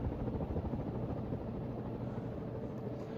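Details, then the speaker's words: 1981 Hunter Original 52-inch ceiling fan, model 22372, on high at about 195 RPM: low droning harmonic hum over rushing air; motor noticeably noisier on high, still a good running fan. "Motor is definitely quite noisier on high here. Making a harmonic sound to it."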